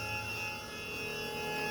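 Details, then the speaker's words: Electric power steering pump running off 12 volts with the engine off, mounted on rubber isolators below the wheel arch: a steady, loud multi-tone electric whine. The pump is still quite noisy but works well. "so yeah that it's still quite noisy it's on rubber isolators too"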